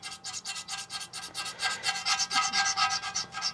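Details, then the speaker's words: Razor blade on a Silver Strike arcade cabinet's monitor glass. Rough gritty rasping strokes about twice a second show that invisible residue is still stuck on the glass. "But see, it should not, I don't know if you can hear that. Hear that noise? That's how we know, even though we can't see it, that's how we know it's still there."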